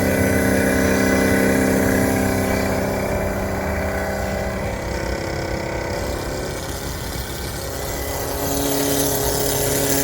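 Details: 2016 Isuzu NPR gas box truck with a GM V8 that won't start and shows no codes, key on only: a steady electric droning hum that sags mid-clip and picks back up as the brake booster pump keeps running. Cause suspected, not confirmed.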